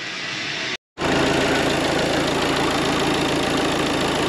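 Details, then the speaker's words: Peugeot Partner Dangel 4x4 after EGR valve replacement idles roughly with a fast uneven rattle from the dual-mass flywheel; an odd harsh noise outside is possibly the vacuum pump, unconfirmed. "to cudo odpalone i tak oprócz tego że dwumas się tłucze to ten silnik jakoś tak wcale kulturalnie nie pracuje"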